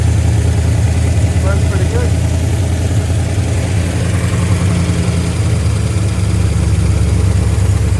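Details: 1972 GMC C10 V8 pickup, sat unused for years, running with fuel pump fed from a can of gas: steady, even low idle rumble, no knocks, misses or stumbles; ran pretty good though very smoky.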